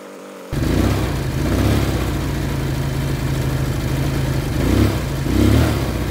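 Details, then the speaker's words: Baotian BT125T-2 125cc scooter, first runs after cleaned 24mm carburetor, new ignition, GY6 50cc CDI: steady idle with a couple of brief surging engagement sounds near the end. Owner suspects starter clutch; noise lessens with more running, may need run-in. "so the more I run it the less of the strange noise is appearing so it's getting better and better"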